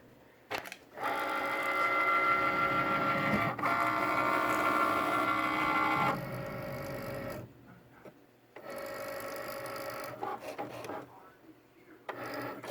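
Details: Loud, steady high-toned whirring hum from a Cricut cutting machine while the carriage runs during cutting, dropping and restarting in bursts; abnormally loud mechanical drive noise, cause unclear.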